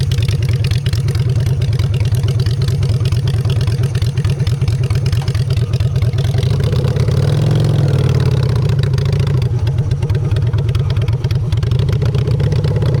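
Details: Honda Shadow V-twin after a custom makeover with custom exhaust, in neutral: a steady, deep lope with even low pulses swells smoothly on revs and settles back. Normal idle and revving.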